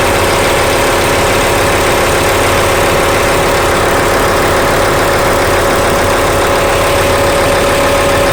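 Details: Engine at idle: loud constant drone with an uneven rough beat about once or twice a second, an abnormal sound of unclear cause.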